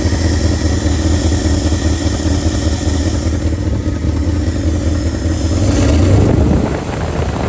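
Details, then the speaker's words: 1971 Ford F250 started after sitting about two weeks, slight oil burning off the manifold; warmed up, it idles nicely with a deep even rumble, no tapping, and a brief throttle blip. "Well, it's idling nicely once you're warmed up."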